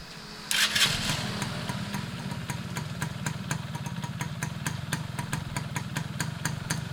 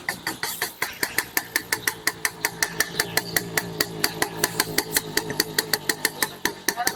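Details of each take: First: Restored Yamaha F1ZR two-stroke with a rebuilt stock (STD) engine and full clutch: fires up at once and holds a steady crisp popping, about four beats a second, clean and even; healthy after restoration. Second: Restored, rebuilt Yamaha F1ZR two-stroke with standard CDI, pulser and magnet: sharp, crackling pops about five a second over a thin, uneven idle. The mechanic judges the ignition timing too far advanced.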